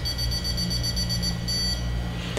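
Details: Electronic stud finder, button pressed and held at power-on before scanning a wall: steady high-pitched tone under two seconds then stops; normal start-up calibration beep.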